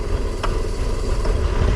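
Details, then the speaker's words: 1996 18 ft boat with MerCruiser 4.3 V6: low uneven idle that wavers and sags as if about to stall, running right only after hard revving; owner suspects fuel pump, plans carburetor gasket kit and cleaning. "it runs perfect but before then it'll sit here and struggle like this so I'm wondering if it's the fuel pump going on"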